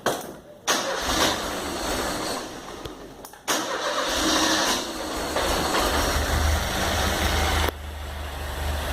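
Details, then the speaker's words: Chevrolet Chevette engine just reinstalled with refurbished wiring harness and adjusted timing: short starter bursts, then it catches and settles into a steady, even idle; a contaminated intake gasket leak is spotted for replacement. "Deve tá pegando benzinho."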